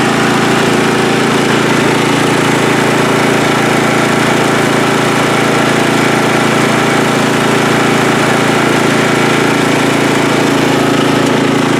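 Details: Free riding mower on a first start test after its gas tank was drained and fuel was added by hand amid flooding: a loud, steady drone with an even pulse of about four per second, no surging or stumbling, running smoothly.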